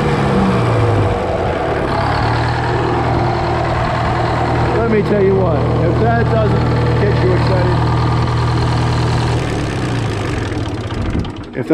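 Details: GM 4-71 two-stroke diesel, supercharged, about 160 HP, four 71 cu in cylinders, roughly 50-60 years old, driving a Frick sawmill, idling slightly warm with no load during a secondary fuel filter change. Deep, even drone with a steady, fast beat, no knocks or misses; healthy idle.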